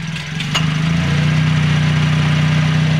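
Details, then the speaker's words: Toyota Calya at idle: smooth even idle with a steady low drone as the AC is active, no rattle or grinding, compressor operating normally. "Ini sudah aktif untuk AC-nya."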